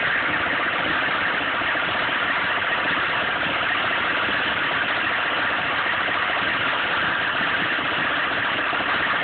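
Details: 1995 GMC K3500 6.5 turbo diesel, 78,000 miles. Steady diesel clatter at idle over an uneven, lumpy beat. It misses under full load, dies when the throttle is released and sometimes won't start. Owner suspects the PMD or injection pump.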